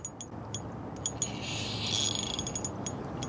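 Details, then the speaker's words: Fishing reel mid-retrieve: light clicking about four ticks a second with a raspy swish, a noisy line rubbing. Owner suspects the line rather than the reel. Not confirmed. "very interesting sound from this line and I can't say I'm enjoying it"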